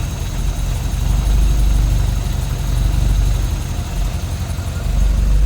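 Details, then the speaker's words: 1963 Triumph TR4, 2,138 cc inline four on twin Strombergs, warmed up with choke fully off: steady, even low-pitched idle with smooth regular firing and no knocks or misses; normal warm idle. "Nice and quiet. And it has definitely smoothed out without that choke on"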